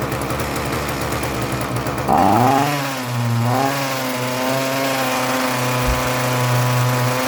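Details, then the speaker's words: Cold Ryobi RY251PH two-stroke trimmer power head with only a high-speed carburettor adjustment: buzzes at speed, then sinks and dies when the throttle is released. Stalls off throttle; carburettor suspected, new carburettor kit to be fitted. "starts up pretty well but if I take my hand off of the gas it just dies out it's a cold engine"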